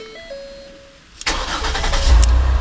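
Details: 2010 Ford Escape with intermittent key no-start, key kept near the immobilizer so the PATS light clears. Quiet clicks, then a brief crank that catches at once into a steady low idle; a clean, normal start.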